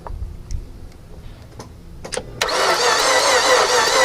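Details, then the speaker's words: 2007 Mazda 6, cranking during spark check with plug wells full of oil: a few clicks, then fast even spinning crank with no distinct compression beats, no firing; owner suspects no compression. "i have no compression in this motor which unfortunately is what it sounds like"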